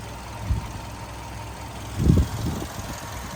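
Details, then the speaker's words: 2008 Volkswagen Golf 6 1.6 MPI petrol, manual, 178,000 km: quiet even four-cylinder idle with a couple of handling bumps; started instantly, runs smoothly without smoke or misfire, starts well cold and hot. "Мотор працює тихо рівно не димить не троїть заводиться гарно як на холодну так і на гарячу"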